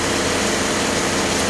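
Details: 2004 Grand Am 3.4 V6 electric radiator fans after replacement for bearing noise: steady rush of air with no squeal or bearing growl; fans spinning smoothly and healthy.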